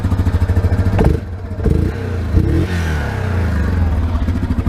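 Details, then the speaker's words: 2009 Yamaha Grizzly 700 Special Edition ATV, 700cc, with repaired cracked frame: clean crisp revs from idle and quick recovery, no stumbling or misfire; runs very smoothly with no hesitation. "so it's run very smoothly got no hesitation at all"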